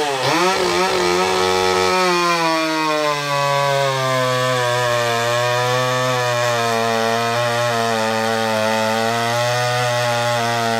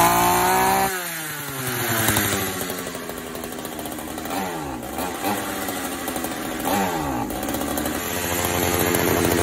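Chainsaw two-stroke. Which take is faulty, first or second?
second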